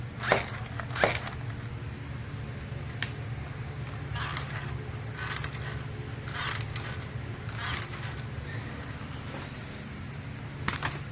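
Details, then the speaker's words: Rovan 45cc Vekta clone RC car with VRC pipe: sharp irregular thuds about once a second over a steady low engine hum; over-stiff rear springs barely move, so suspension bottoms out. "Those rear springs, they don't even move, you know. I don't know if the Vekta is any different, you know, keeping in mind this thing's a clone. But bottoming out. You can hear it."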